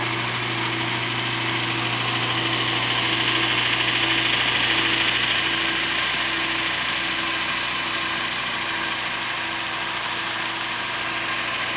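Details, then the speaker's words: Yard-sale VIEL 1x42 in belt sander/grinder with replacement motor, added switch and new rubber feet: steady even motor hum with smooth belt hiss, no knocks or rubbing; normal running. "Anyway, I'm going to turn it on and let you see it run. It's a sweet little unit."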